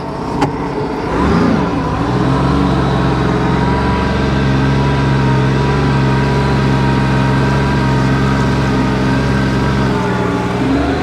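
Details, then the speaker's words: 2009 Sea-Doo Wake 215, supercharged 4-TEC, lake test in neutral during overheating diagnosis: starts well, and a smooth, steady note holds even after a quick rev with no misses; no overheat seen, and ingested weeds are suspected as the earlier cause. "Starts good now. Love the sound."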